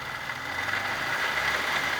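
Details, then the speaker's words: 2000 Lada Vega 1.5 at start-up: steady high-pitched whine over a quiet idle from the timing/front belt area, which the customer also reported; the worn V-belt needs replacing. "V kayışın değişmesi lazım zaten marşa bastığımızda Arkadaşlar siz de duydunuz Bir ses vardı değişik bir ses çıkıyordu triger kısmından müşterimiz de söyledi zaten triger'de ses var diye ustamız v kayışı değişecek diyor"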